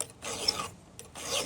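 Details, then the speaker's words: Filing a chainsaw chain by hand with the file turned at 45 degrees to avoid the squeak. Two smooth rasping strokes about a second apart, even scraping with no squeak; normal. "If you want to get away from that squeak, turn your file on a 45 like this."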